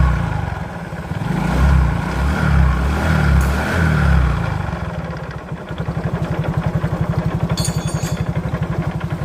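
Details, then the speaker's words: A Yamaha Mio GT scooter engine runs with a coarse, rapid "klotok" clattering knock, about four beats a second, from the CVT housing. The cause is a worn bearing, a damaged gear and worn rollers. "dapat itulah suaranya suaranya itu ada suara klotok klotok klotok seperti itu pokoknya di bagian rangka CVT ini kasar sekali"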